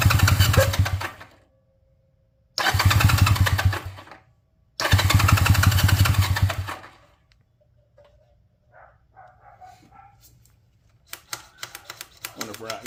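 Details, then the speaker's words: 1978 Honda Twinstar CM185T being revived, cranking with choke on after the points were cleaned: three cranking bursts at about four beats a second, never firing. No fuel is reaching the engine. "No fuel coming"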